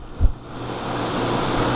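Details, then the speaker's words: Small window air conditioner (from 1999 or 2000) with LG compressor, on low fan, blowing ice cold; steady even low hum and soft airflow, no rattles or squeals: normal quiet running. "i mean that's low fan or high fan this is low fan these units are really quiet and"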